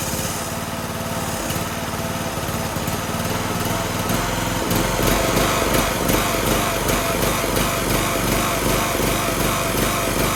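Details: Toro Z420 Timecutter zero-turn mower, swapped replacement engine, first start with choke on, PTO disengaged: uneven, lumpy firing, irregular beats around 150 a minute that stumble and surge; running rough because the carburetor wasn't cleaned.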